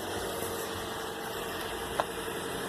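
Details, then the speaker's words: 2013 Toyota Corolla with a crank-no-start complaint, running after a jump start: a quiet, even idle with no knocks, misses or surging; it kept running, suggesting the alternator is good and the battery is likely bad. "Less than a minute. That usually indicates that the alternator is good, so more than likely it's just a bad battery."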